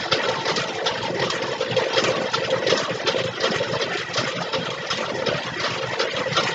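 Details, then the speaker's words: 1962 Cadillac Sedan Deville V8 cranking after a pushrod was straightened and the valves oiled: even, busy churn with no lifter tapping or valve clatter; the valves no longer stick, quiet valvetrain. "all right we got all those oiled up let's just crank over some more would you listen to that a little bit oil shut those things right up obviously they're not getting stuck now"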